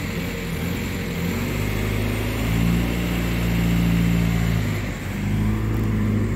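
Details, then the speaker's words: VW 1.9L PD BEW TDI swapped into a Toyota FJ Cruiser, after replacing worn camshaft, held at 2000 rpm: even, steady diesel drone with no ticking or knocking; healthy fast idle. "i already did the break-in procedure earlier so just gonna let the car chill [Music] sounds pretty healthy though"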